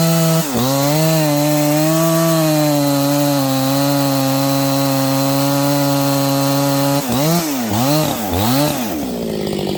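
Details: Freshly built Husqvarna 268XP chainsaw with 24-inch bar, break-in cut: steady high scream through the cut, then revs dip and rise several times near the end, slowing down and speeding up.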